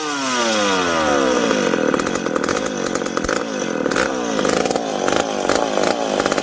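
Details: McCulloch PM700 chainsaw, freshly ported, first start after fuel tank refit and priming: catches and revs with a rising buzz, then blips cleanly on throttle with no stalling; running fine.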